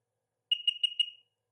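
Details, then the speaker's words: 2007 Sea-Doo RXP supercharged 215 hp jet ski, battery charger connected, during compression checks: four quick high-pitched beeps with no cranking; safety lanyard key not pushed fully on. "okay I think it was a key issue uh just didn't have it pushed on"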